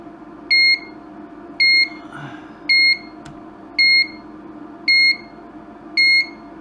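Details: Broken LED dot-matrix scrolling sign (5 V input) while checking VCC into the board: steady high double-pitched beep about once a second, repeating nonstop; owner suspects a voltage drop and wires it direct to the bench supply.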